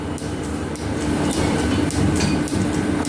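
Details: Metal planer on its first test runs with newly fitted overhead belts and fast-and-loose pulleys, drive set around 400, belts switching sides: steady clatter, soft slap around 110 a minute, even hum; normal running.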